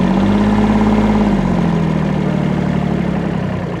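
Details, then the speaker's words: Kubota B7100 diesel tractor with loader, after about 10 years in a collapsed barn, after fan belt change: steady diesel idle with an even beat, pitch dropping slightly as it settles; runs smoothly with no knocks or squeals, all gears work. "Pretty good. All the gears work. There we go. Back working again."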